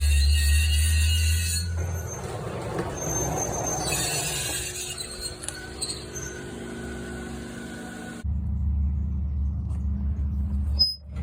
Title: Toyota Highlander Hybrid making horrid screeching sound.